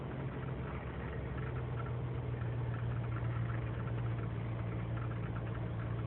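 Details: 2003 GMC Sierra Z71 5.3L V8 (non-flex fuel) cold start after overnight in single-digit temperatures, idling without throttle: uneven stumbling low lope, no steady beat; lean and misfire codes, owner suspects intake gasket leak; fine once warm.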